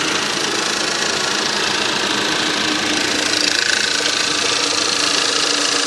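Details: 1.8 TSI engine at cold idle: fast, fairly even light tapping, roughly three or four knocks a second over the engine; cold-start knock.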